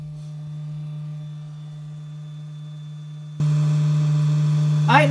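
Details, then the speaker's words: 1984 Dodge Ram D150 electric fuel pump tested with the tank pulled, on a cold, wet day, truck not starting for lack of fuel; steady low hum jumping louder as power comes on, so the pump spins but delivers no fuel at the outlet. "surgeon but i know that there's supposed to be gas coming out of there"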